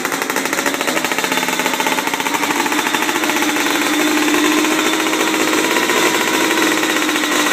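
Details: 1997 Yamaha Blaster 200 two-stroke, first start and break-in after rebuild: loud buzzy crackle at fairly steady speed, no knocks or grinding; engine healthy, though clutch suspected not engaging.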